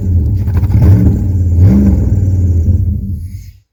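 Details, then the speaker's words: 1998 Jeep Grand Cherokee 5.9 Limited V8, first start after sitting about five years: lumpy, uneven rumble that surges and sags with revs before shutting off; rough running, burning oil, owner suspects vacuum leaks and a missing MAP sensor. "Oh yeah, it burning oil for sure. But she's going"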